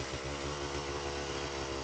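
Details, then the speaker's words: Pit360 two-stroke bike with Lectron carb: hollow regular rattle about four times a second on each beat; severe piston slap from worn piston, leans out when warm; owner plans new piston, then Nikasil cylinder replating. "something's better than nothing, and it still definitely showcases how nice and crisp a lectron can be, even when you have severe piston slap."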